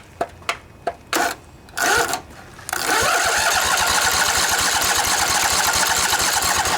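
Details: Junkyard Briggs & Stratton Intek twin-cylinder 20-25 hp riding mower engine, sat outdoors long, restarted on weak battery after fuel solenoid click: brief cranking, catches, settles to steady even run, no misses or knocks, bit smoky; normal idle.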